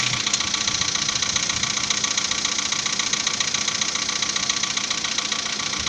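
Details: 2015 VW Polo Sedan, after piston modification, cold start with coolant at 10 °C: fast even light knocking, a bit over two per second, over the cold idle; piston slap.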